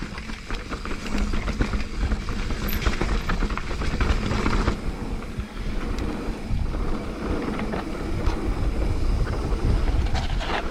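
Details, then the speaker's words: Mountain bike on a rough trail gives loose, irregular clattering rattles that follow the bumps. It is chain slap against a hard, unpadded plastic chainstay protector. "Yeah, that is all chain slap. It's got a chain protector, but it's made of hard plastic, and unlike with the Tai, where they put foam pads on it, with that they haven't."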